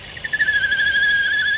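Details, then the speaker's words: Vauxhall/Opel Insignia 1.6 SIDI A16XHT, noise near the rocker cover/camshaft seal: steady high-pitched whistling squeal at even pitch that goes away when the dipstick is pulled; failed PCV valve in the rocker cover. "and here you can see the PCB valve if you got this engine and you hear an air coming out I want to put your finger this PCV valve is part of you he's been placed it and also another sign is when you pull the dipstick out the noise goes"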